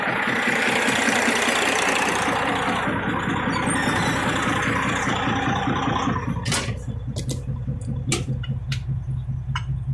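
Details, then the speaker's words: Detroit 60 series 12.7L diesel in parked truck, idling warm with hood open, good oil pressure: heavy idle with steady knock two to three times a second; owner suspects broken piston skirt or wrist pin, doubts rod bearing — engine knock. "My thought is it could be a broken piston skirt. This may have it, I assume it's a two-piece piston, but I'm not sure."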